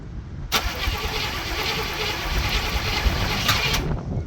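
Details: Barn-find Cadillac 7-liter V8, first start attempts after 30+ years, on charged battery: starter cranks evenly about three seconds, engine never catches; no fuel getting through yet, fuel later seen reaching sediment bowl.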